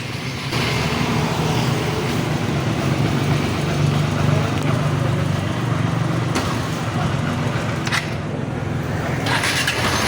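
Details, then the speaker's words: Honda XR150 single-cylinder motorcycle idling: loose cracking rattle from the clutch side caused by worn balancer damper, before replacing balancer damper and clutch body. "So meron siyang cracking sound na marining natin sa kanyang clutch side. So ito yan yung sa kanyang balanceya dumper."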